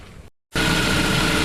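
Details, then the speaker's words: 1993 Saturn SL2 idling after a water pump replacement and coolant refill, warming up with heat on and fan wide open while the overflow is topped off; smooth, steady idle with a faint even whine and no knocks; normal. "Okay friends, we have the engine running now, and we're just monitoring everything and topping off our overflow reservoir as it heats up."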